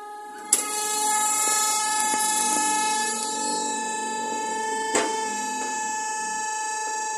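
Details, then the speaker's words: Nissan Evalia at a quiet idle, noise heard in the engine bay: a constant high, clear whistle from a PCV hose that is too soft and collapses under vacuum, making it sing; the hose should be stiff. "di dalam sini dia ada semacam kakuman kevakuman penyebabnya adalah karena selang ini terlalu lemak terlalu lembek atau terlalu kuk sehingga dia kempes dan menyemburkan bunyi"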